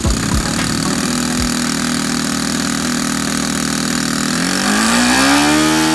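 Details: Saito FA-62 four-stroke glow engine in a Hangar 9 Piper J3 Cub, owner troubleshooting in-flight stalling at about half tank: steady, even buzzing idle with no misses, pitch climbing smoothly with throttle; starts and idles cleanly.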